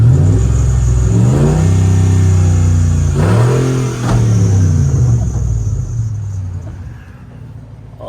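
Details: 1988 Dodge D150 with swapped 2006 Jeep Commander 5.7 Hemi V8: deep rumble climbs and falls cleanly through several blips, then settles evenly; healthy engine revving freely.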